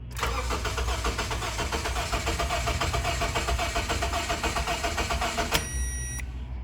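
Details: 2007 Honda Civic 1.8L four-cylinder, crank no start: starter churns steadily over five seconds, never fires; no fuel pressure from fuel pump, strong relay voltage at prime but weak during cranking.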